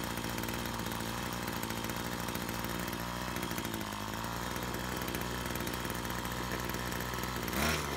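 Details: Brush cutter after repair of a fuel leak from a split fuel hose that had stopped the engine while mowing: high, buzzy two-stroke note held fairly steady without cutting out or stumbling; running properly.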